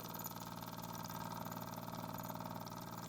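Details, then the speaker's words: Restored Mamod TE1 toy steam traction engine running freely under steam on first test after wheels fitted; quick, even chuffing about four beats a second with steady mechanical patter, no knocks or hitches. "let's see if she does work and if she does that'll be good they'll get away she goes it's actually quite a nice little run of this one"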